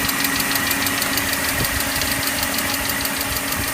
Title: E39 530i ticking noise